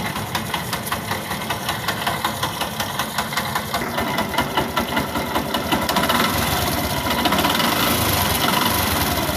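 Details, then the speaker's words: Yamaha YTX motorcycle engine running with uneven knocking and scraping clatter from behind the starter drive on the magneto side; all three starter drive (Bendix) mounting bolts were found broken. "So ito nga ang problema mga bossing. Naputol yung turnilyo ng BX drive. Ayan yung tatlong turnilyo naputol."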